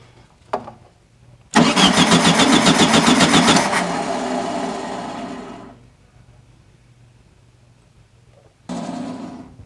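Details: 1974/75 VW Super Beetle with a new Pertronix ignition, timing being set: two short cranking bursts, the main one turning slowly at about four beats a second and sagging; the starter sounds sluggish. Cause suspected, not confirmed.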